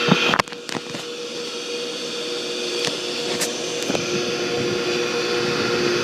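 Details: Pool pump: a few clicks, then a loud, steady whirring hum with a constant whine; owner suspects the shaft seal or worn bearings or bushings, and a seal can crack if the pump runs dry; cause unconfirmed.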